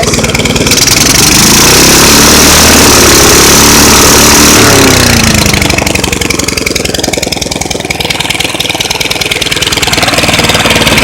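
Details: Small engine restarted: loud, uneven idle surging and stumbling about four times a second; rough idle, owner suspects carburetor diaphragm, unconfirmed.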